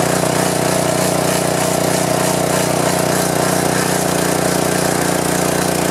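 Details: Power washer small engine that would not start, after carburetor and governor linkage reassembly, choke on, fuel of unknown age, air filter off: runs at a steady, even speed with a constant buzz and no misses or surging; normal running.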